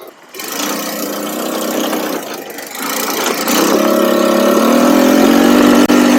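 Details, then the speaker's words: Cheap buggy engine, hot, after carb tuning with a 120 jet (up from 105): starts almost at once, then climbs to a steady even buzz with a clean rev rise, no misfire or stumble; normal running. "I mean I'm going to take it for a ride now it is 1 million times better so uh yeah let's let's take it for a ride all right start it up perfect no problems"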